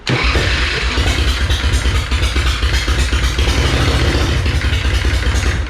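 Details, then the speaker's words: Sucker Punch Sally V-twin chopper right after fitting a new replacement starter: strong, quick cranking that catches at once and settles into a lumpy, loud V-twin run, already starting better than before; normal start. "it's already starting better than it did"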